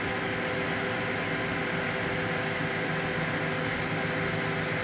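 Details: Gigabyte G1 R9 390 graphics card fitted with a substitute 87mm 4-pin MSI PLA09215B12H fan: loud steady airy whoosh with a faint high whine, unchanged throughout; mismatched replacement fan runs faster and louder than stock.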